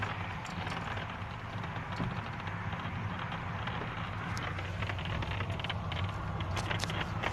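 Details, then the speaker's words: Hyundai i40 dashboard rattling while driving: sharp scattered crackles and ticks over road rumble from the upper dash panel under the windscreen; the panel needs gluing or padding. "вот так вот трещит панель на хендай ай 40"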